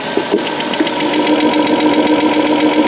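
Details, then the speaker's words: 2002 Chrysler Town and Country 3.3L with a P0305 cylinder 5 misfire, idling: crisp even ticking, about two and a half a second, of the good cylinder 6 fuel injector opening and closing under computer control, heard as a comparison. "you can hear that I can hear it so you should be able to hopefully hear that they're clicking isopentyl opening the closing"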